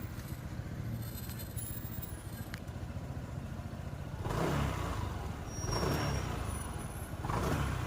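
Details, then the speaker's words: Honda PCX160 scooter at 27,000 on the odometer, after a genuine drive belt and a cleaned, modified CVT, following idle and throttle-off knocking from the belt side: quiet idle and three smooth blips, no belt slap or knock; CVT sounds normal. "เนี่ยปกติมันจะมีเสียงดังกๆๆๆๆอย่างเงี้ยเสียงสายพานตีเสียงอะไรไม่รู้อ่ะเสียงแบบมันไม่แบบเสียงแปลกๆไม่มีนะครับเห็นมั้ยเสียงเหมือนกับสายพานหย่อนน่ะอันนี้ไม่มีะ"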